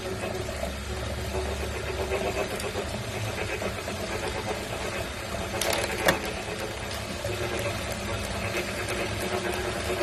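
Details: New Wahoo Kickr V5 smart trainer, itself a replacement for a clanking Kickr Core: quiet rhythmic whirring with a rough grinding edge throughout while spinning; internal grinding, cause unknown.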